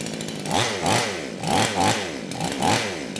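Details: Kraftworld KW-5800 58cc Chinese chainsaw, previously run on straight fuel, no air filter, damaged clutch: small two-stroke buzz at idle with quick rev sweeps about once a second, settling back cleanly; engine idles and revs properly.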